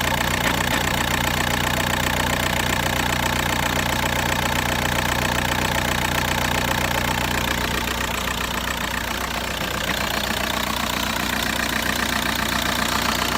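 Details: VW Bora 1.9 TDI (ARL) diesel at idle: uneven regular knock about two and a half per second over the clatter, engine shaking rough, cause not evident.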